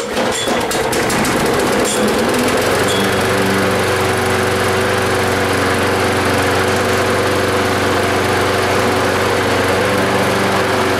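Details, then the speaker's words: Yardman mower with primer bulb, no choke, first start after reassembly following two to three years sitting; catches within about two seconds after a few pulls, settles into steady even run, no misses or knocks; normal running. "Pretty good. Be setting for 2 or 3 years."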